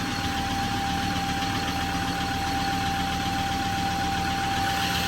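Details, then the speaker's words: Ford Ranger 3.2L P5AT diesel automatic, nearly 200k, just after replacing all five injectors and the fuel filter, before recoding: steady even idle clatter with constant whistle, no ticking; engine running normally. "sounds good. No ticking noise."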